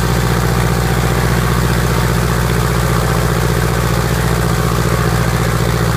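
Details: Piper Apache piston aircraft engine, first start after rebuild: steady even low rumble, regular firing pulses, no knocks or misses; normal idle.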